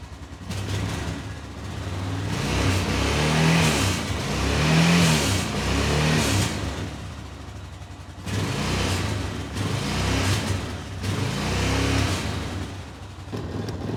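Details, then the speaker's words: 2005 Honda Rincon 650 ATV with no power and 15 mph top speed, after replacing the carburetor vacuum diaphragm: revved several times, each blip swells lazily and flattens early; power loss persists, owner suspects the cam. "It definitely needed a new vacuum diaphragm, but it still seems to be not opening it up much."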